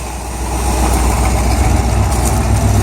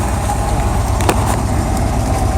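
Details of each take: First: El Camino at idle, with no valvetrain noise from the top: steady low rumble with a fast uneven puffing tick about four times a second. A slight exhaust leak. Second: El Camino engine at idle, no valvetrain noise, a slight rattle possibly from the exhaust: a steady, even, low idle rumble with no misses, knocks or ticks; it sounds healthy, suggesting good bearings.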